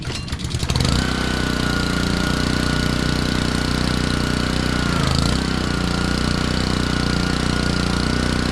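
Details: Honda pressure washer that sat all year in a basement, after cleaning water from its carburetor, hooked up: a steady, even single-cylinder drone at constant speed, no misses or surging; normal running.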